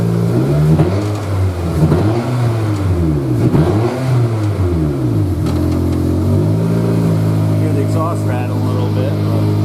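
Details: Four-cylinder Corolla mini stock project, first start after a fuel cell install: revs rise and fall cleanly over a steady idle, with a faint loose buzz, probably from the exhaust, source not pinned down. The fuel cell is working.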